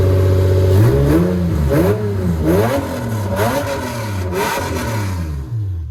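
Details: Lexus SC300, bought for $600, first start-up: catches and holds a deep loud idle, then blips cleanly up and down several times with no stumble; healthy engine.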